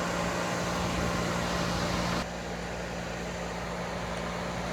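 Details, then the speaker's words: Dodge Intrepid electric radiator fan switched on by toggle switch through 40 A relay, one fan blowing toward the engine: steady whooshing hum with faint constant tone, no rattle or scrape. Normal fan operation. "I don't know if you guys can hear it or not, but that's my fan. That there is one of my fans, and I am blowing towards my motor."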